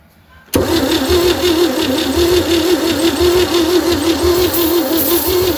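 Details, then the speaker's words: 1960 Chevy C10 with a 235 engine that sat 40 years: spark is present and the oil light is on. A steady starter whine with an even churning rhythm never catches. Crank-no-start; lots of blow-by is suspected and the rings need to reseat, with the valves possibly too tight. "You can tell we got a lot of blow-by in these cylinders. These rings got to reseat."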